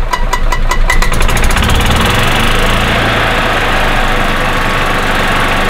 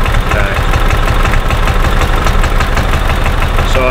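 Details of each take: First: 2000 Club Car DS gas cart that shut off after about 10 minutes from a failing ignition coil (weak spark), now repaired and held at half throttle for 25 minutes: steady, smooth single-cylinder drone with no cutting out. Normal running. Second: 2000 Club Car DS gas golf cart that runs then shuts off: low-throttle chug with uneven beat and stumbles, backfiring into the carburetor, smelling of unburned fuel; weak spark, failing ignition coil suspected, rev limiter ruled out. Misfire.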